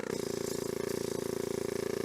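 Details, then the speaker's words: S12 Nissan 200SX abandoned project car: small electric vacuum pump runs continuously, a rapid even buzz that quiets but never shuts off after pulling vacuum; a hose leak is audible, and owner suspects a sensor in the vacuum distribution chamber. "interesting that pump's supposed to be turning off and it is not I wonder why that is it's supposed to pull a vacuum since that it has and then turned off it certainly gets quieter but it's not turning off"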